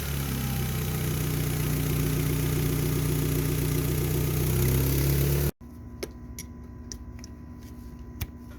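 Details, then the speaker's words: Mitsubishi engine that cranks but won't start: split vacuum hose between intake manifold and fuel pressure regulator leaks, regulator can't adjust fuel pressure, over-fuelling so it runs rich with a low, lumpy, uneven idle; fixed by cutting off damaged hose section. "Al romperse esta manguera, el vacío del colector falla y el regulador no puede ajustar la presión de combustible suministrando excesiva cantidad de combustible al motor que funcionará mal, con dificultades para arrancar."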